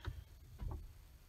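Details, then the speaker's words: 2005 Ford F-150 Lariat 4WD, selector switched to four-high: a couple of soft, low clunks half a second apart as the transfer case actuator motor turns into four-high; normal shift. "but that's the transfer case actuator turning moving to clock to go to the four high position"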